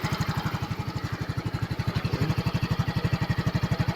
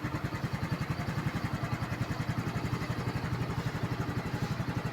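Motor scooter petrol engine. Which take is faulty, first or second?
first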